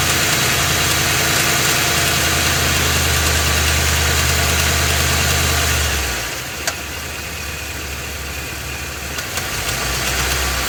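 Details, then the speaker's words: Ford F-250 with 7.3 L Godzilla gasoline V8, phone under the truck, idling then in gear with brake held and light throttle, A/C off; regular tapping knock about 200 per minute over the rumble — internal engine knock, cause undetermined; engine later replaced. "you can distinctly hear that it's making a noise and it is making a knocking noise too"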